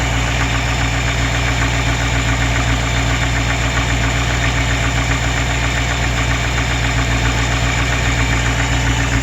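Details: Small-block Chevy (SBC) with a suspected rod knock: deep, regular knock about three or four times a second over a heavy idle rumble, loud on cold start then quieter but persistent; bottom-end knock, cause unconfirmed.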